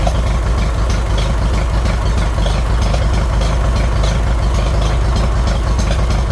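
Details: 1957 Farmall 450 diesel tractor after injection pump reseal, started unexpectedly while cranking to bleed: even, heavy diesel clatter at idle, roughly three firing beats a second, no misses; healthy.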